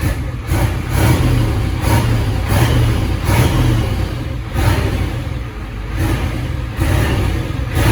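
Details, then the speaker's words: 1986 Ford F350 dually, 7.3 IDI diesel with ATS turbo kit, run in the shop; downpipe audible through the transmission tunnel. Clean throttle blips about once a second, deep even note with no knocks; healthy. "Man, that thing sounds good."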